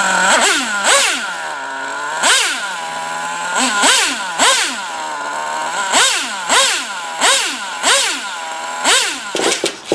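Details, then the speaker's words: Traxxas T-Maxx 3.3 nitro RC truck, first start after 8+ years stored in a shed, on the 20% nitro fuel it was tuned for: high-pitched engine blips cleanly about every second and drops back to steady idle; runs like new; normal running. "they start it up and it runs damn near perfect snow after spins all four tires just second gear like like it's brand-new"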